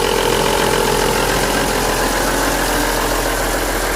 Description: This is the classic BMW S50B32 vanos noise. Rattling at low rpm after revving the engine gently.